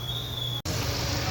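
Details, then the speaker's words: Hyundai Santa Fe 2.0 turbo just after a spark plug replacement (recommended at 45,000 on the turbo): brief steady low idle hum with an even beat, running well with no misfires. "here we go running sounds good no misfires"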